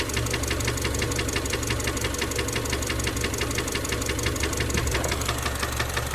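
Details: Subaru EJ253 engine at even idle: steady knock about three times a second from mid-block, possible rod knock; cause unconfirmed.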